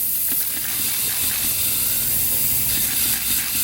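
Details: Dodge Caliber SRT-4 boost leak test with the engine off, system pressurised to about 10–15 psi. A steady, sharp hiss of air escaping under pressure comes from an uncapped EVAP hose port on the intake: boost leak.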